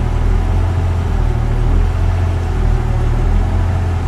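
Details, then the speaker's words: 1998 Jeep Cherokee XJ 4.0 idles deep and loud, swelling and sagging every second or two and sputtering slightly, with no trouble codes. The hunting had gone on for a week; the throttle position sensor is suspected and is being replaced with a Standard TH189. "IceMan's idle is rapidly going up and down."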